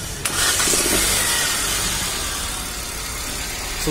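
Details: Hyundai Xcent (Kappa engine) after replacing a slipping starter motor bendix that made cranking miss: a short crank catches cleanly and settles into a steady run with no grinding or missed engagement; the starter is working normally.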